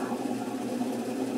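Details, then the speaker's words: Admiral heavy-duty washer, about 20–22 kg, on spin with suspension springs not yet fitted: motor, pump and pulleys turn, even hum with low buzz but no rising drum swish; transmission doesn't spin the tub, missing springs suspected. "nivel del exprimido no nos hace girar la transmisión pero por lo menos aquí a descartamos que hay algún problema en alguna de las colegas"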